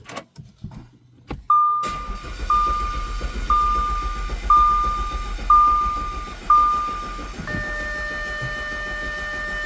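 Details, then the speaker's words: 2011 Audi A5 2.0T with P0016 and a long-crank complaint, scope and oil pressure gauge attached: the starter cranks steadily for seconds with a chime ticking, but the engine never catches; extended crank, no start. "The car will not start. See, I just let it sit for a minute. No, it won't start."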